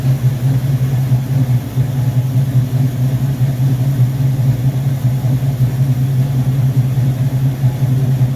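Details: Rebuilt Rochester Quadrajet 7029202 from a 1969 Corvette (ethanol-damaged fuel bowl cleaned up), first start after rebuild: smooth low rumble holding a steady idle with no hunting, popping or misfire; normal idle.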